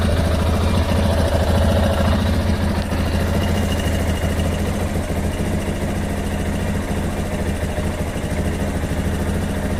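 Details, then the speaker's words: Lander 250 single-cylinder idling on 10W40 oil, no smoke, with a rapid even ticking about three times a second that comes and goes then stops; intermittent engine noise, cause unknown, owner asking. "o motorzinho faz esse barulho, ó. Aí daqui a pouco ele para o barulho."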